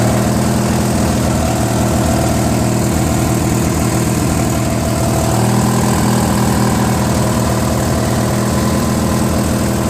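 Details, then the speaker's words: Briggs & Stratton 16HP opposed twin, rebuilt trash find on a Murray garden tractor: a lumpy idle that hunts and surges in pitch. It runs better on choke; owner thinks air is leaking where the carb's Welsh plug is missing. "I figured out why it's not running so good. Apparently it's missing the Welsh plug, I think. Whatever goes in there, it was missing. So that's why it's not running right."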